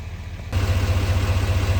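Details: 2017-2022 L5P Duramax diesel (GMC Sierra/Chevy Silverado 2500/3500) after fuel filter replacement and key-cycle priming: cranks and catches half a second in, then a steady, even low diesel idle with no knocks or misses; normal.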